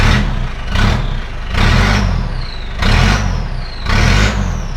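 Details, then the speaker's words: Australian 4WD with 2.5 turbo diesel, 297,000 km, good compression and no blow-by; exhaust has a big rust hole and was cut off about halfway, so a loud, raw open diesel beat surges about once a second. "i did see there's a big rice hole in the exhaust but there's nothing coming out here because i cut the dog off about halfway through"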